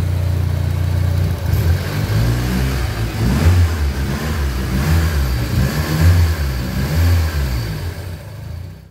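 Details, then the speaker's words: Turbo Honda Civic, D15Z4 bottom end with D16Z6 SOHC VTEC head, 440cc injectors, Walbro 255 pump, after dyno tuning: revs sweep smoothly with clean, even exhaust note, no knocks or misses; runs fine. "hey guys so here's the car it did survive the dno as you can hear the engine does run fine you don't have any issues"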